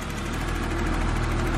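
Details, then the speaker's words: 1982 BMW 633CSi, about 90k miles: smooth, steady low idle with even firing and barely any top-end ticking; quiet six-cylinder, normal idle. "how smooth and quiet and just happy the motor is and i think that's really important and i think that's really cool"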